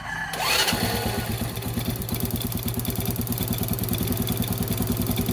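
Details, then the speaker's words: Motorcycle after replacing the CDI and ignition coil (old parts had roughly 5,000 to 10,000+ km): quick crank and catch, then steady even putter at idle with no skips; strong spark claimed. Normal start and idle. "Yan. Yan yung kanyang menor. Pag piniga ko, yan, o, napakalakas guys."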